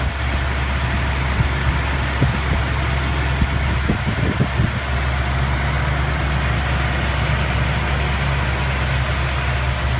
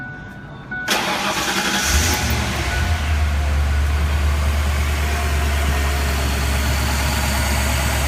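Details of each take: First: 1997 Mercury Mountaineer 5.0L V8 idling fully cold with a fast, faint high chirp near the belts from worn, dry camshaft synchronizer bushings; fix is oiling the bushing via the removed cam sensor. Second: 1997 Mercury Mountaineer 5.0L V8 after oiling the worn, dry camshaft synchronizer bushing to cure a belt-area chirp: cranks, fires and settles into a smooth quiet idle with no chirp or squeal.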